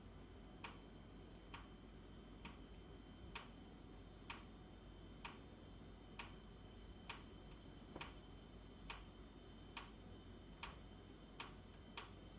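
Sharp, evenly spaced ticks about once a second, roughly fourteen in twelve seconds, over a quiet hiss: a persistent boiler knock, cause unknown.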